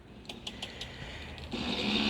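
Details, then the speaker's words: 2003 Toro Recycler mower rolled backward: light, quick clicks about every sixth of a second as the freed-up self-propel gearbox ratchets normally. The drive cable is too short and awaits replacement. "i can roll it back now the transmission works like it should i freed it up"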